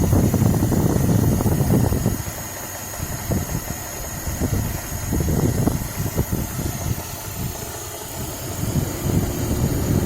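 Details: Suzuki H27A engine, 190,000 km, knocking at idle: a rough, uneven knock at roughly three beats a second, loudest at the start. Source unclear; owner thinks the camshafts are unlikely since they were replaced.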